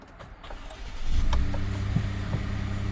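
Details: 2017 truck, push start, original battery showing 10 volts, on a jumper pack: brief crank, then catches quickly and settles into a steady, even idle with no hesitation. Normal engine start.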